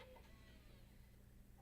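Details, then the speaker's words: Bose 3-disc CD changer after repair, in a test housing: drive 2 ejects its CD while drive 3 pulls one in, with a soft steady motor hum and faint whir and no chatter or clicking; normal CD loading. "Now we're going to go down to drive 3. The drive 2 is ejecting the CD. Drive 3 is pulling in the CD."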